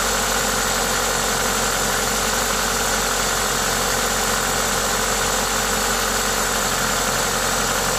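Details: Toyota 2ZZ-GE engine at idle with an aftermarket induction kit: even idle with a loud intake hiss from the kit, no ticking or knocking standing out; normal engine noise.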